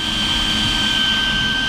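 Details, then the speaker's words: Arrma Infraction RC car on 6S power (two 3S batteries), which ran very hot: aftermarket cooling fan gives a steady, high, piercing whine over a fainter lower tone, much louder than the stock fan but running normally. "I mean, this thing hums. We know it goes fast. We know it's powerful. So that made sense to me. But man, this thing is much louder than the stock fan. I will say that."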